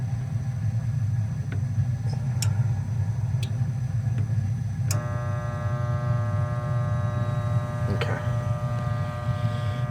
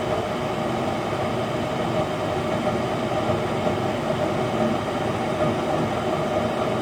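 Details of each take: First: Goodman furnace installed October 2010, no heat with burning smell: steady electrical hum with no spin-up from a seized inducer (vent) motor; voltage to the motor confirmed, so the control board is okay. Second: Goodman furnace after replacing bad inducer motor and gasket: even, steady low roar with faint constant hum, no squeal or rattle; furnace firing and running normally.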